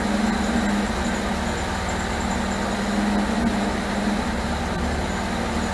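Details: 1978 MGB after rebuilt carburetors were fitted and the ignition points deleted. Idle wavers and stumbles with an uneven, lumpy beat under the exhaust drone. Timing rechecked and distributor turned until it ran; still rough, and the owner suspects the distributor needs more adjustment.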